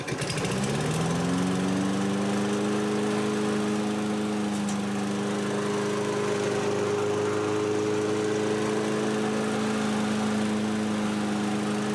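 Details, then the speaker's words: 2003 Toro 20017 mower with a 2006 Tecumseh LV195EA replacing the original LEV120: the engine catches, climbs briefly, then holds a steady, even pitch for ten seconds without surging. The governor is holding speed. "Well, good news. You can hear the 2003 Toro running. And it now governs the speed."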